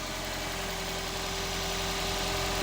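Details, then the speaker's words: Hybrid car started by pressing throttle; smooth even warm idle, no misfire, crackle or knock; engine sounds sweet. "we'll need to press the throttle with it being a hybrid to make it fire up so we'll have a listen seems sweet is it not to me don't know what that sounds like on camera"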